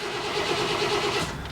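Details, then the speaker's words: Chevy work truck, 154,000 miles, lost power then very hard starting; starter cranks about a second without catching, then a click. Fuel pump faintly heard running; cause was a fuel hose off the pump, not a bad pump. "you can hear the fuel pump run let's see if it'll start quick here there's very very hard starting last time I tried it would not start actually"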